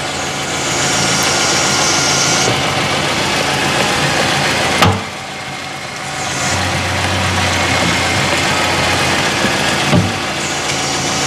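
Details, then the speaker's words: Mercedes A-Class W168 with engine idling, stationary: sharp clunks and creaks while turning the steering wheel, from a cracked front strut spring, before strut and mount replacement. "teraz kamera na statyw i pokażę wam Jaki jest hałas podczas kręcenia kierownicą pokażę w jak pęknięta jest sprężyna"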